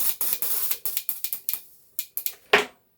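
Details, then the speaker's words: Porsche 911 Carrera GTS 991.1 3.8 fuel injectors on the bench, cleaned with carb cleaner while pulsed by a bench power supply; sharp irregular solenoid clicks between hissing spray bursts: normal injector operation. "I'm just giving these injectors a good clean. I've got carb cleaner here going into the injectors, and I'm operating the injectors with a little bench power supply here. You can hear the solenoid clicking in,"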